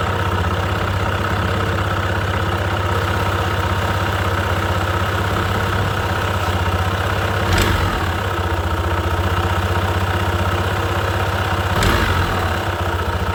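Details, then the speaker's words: Honda PCX 160 after replacing the CVT drive belt, weights and slider pieces at 33,000 km: steady even idle, smooth low drone, two brief clicks; belt drive quiet, and noise is reduced compared with before the replacement. "So, yun, napansin ko rin na medyo nabawasan na ulit yung ingay niya. Unlike before na bago ko siya ipalitan, medyo maingay talaga."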